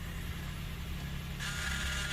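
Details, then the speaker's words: Kia K7 3.0 LPI on first cold morning start: low, uneven shaking idle misfire, check light flashing, roughness comes and goes; shifting misfire codes, parts replaced; cylinder 6 lowest in test, oil control valve suspected. "체크 깜빡깜빡하네 그리고 부조 없어집니다 와 잠깐 나오고 없어지네 아 진동이"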